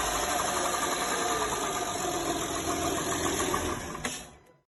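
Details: Engine knock appearing at 1500–2000 rpm with valves adjusted and timing gear normal: light regular tapping about four per second over the engine hum, fading at shutdown; worn 6th lobe on the front camshaft.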